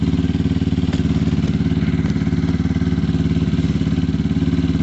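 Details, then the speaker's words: Lexmoto Tempest GT 125 single-cylinder with new exhaust, warming up on the stand: even, deep burble at steady idle, about three pulses a second, no rattles or misses; healthy engine. "oh you can warm it on the stand so uh warm it up sounds amazing i'm gonna chuck my helmet on and we'll do a test run on the gopro"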